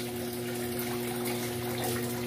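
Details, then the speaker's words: Electrolux 8.0 kg washer after overflowing-water fault fixed; steady strong rush of water with faint even hum, tub filling quickly and normally near the set level. "Até que essa máquina aqui, ela cai água legal, gente. Aquela minha ali, tem aquela outra ali, a água cai pouca água pra caramba. Essa aqui ela enche rapidinho."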